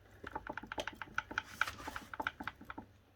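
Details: Newly installed Bafang BBSHD 1000W mid-drive e-bike: quick light even clicks, about ten a second, only when rolled slowly backwards; silent going forwards or backwards fast; owner unsure if normal.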